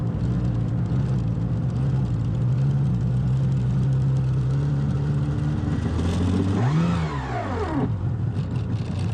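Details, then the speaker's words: Sea-Doo jet ski, green unit that starts but won't move: steady drone, then a quick rev climbing and falling freely with no load; under throttle it disconnects from the drive shaft and free-spins, cause unknown. "It can go for a little bit, and as soon as I give it any kind of throttle, it like disconnects from the drive shaft and just like kind of free spins."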